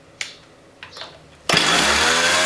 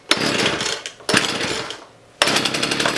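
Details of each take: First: Partner 351 chainsaw after carburetor kit and new spark plug, just started with choke in: fast busy buzz with no throttle; idling high, idle screw to be wound out. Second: Partner 351 two-stroke chainsaw started from cold after a carburettor kit and new spark plug: it catches after a couple of pulls, settles into a steady two-stroke buzz, then revs cleanly up and down, so the saw is healthy.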